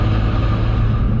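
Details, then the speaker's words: Single-turbo N54 BMW 135i, about 750 whp, single-mass flywheel, just fitted solid transmission mounts, driving near 50 mph; heavy droning low rumble with faint whine, much louder under throttle; loud transmission noise and vibration from solid mounts. "Sure if it's normal or not, but the vibration almost feels like a little too much, and also the noise of the transmission is way louder."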